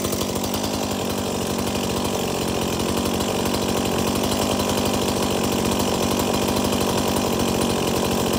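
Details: Stihl MS 170 chainsaw that would not shut off with its switch, running after the repair. Strong, even two-stroke buzz at steady revs; it starts, runs and oils, and the stop switch now shuts it off; normal running.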